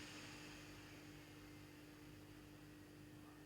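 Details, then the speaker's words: Small 50x50x15 mm blower turbine for a smoker, speed set with a 1K variable resistor, no PWM module: smooth, even whir with one constant tone and no squeal at low speed; normal running. "и турбина тоже убавляется то есть регулировка турбинки присутствуют Да вот от нуля практически и что характерно писка такого нет как вообще модуля"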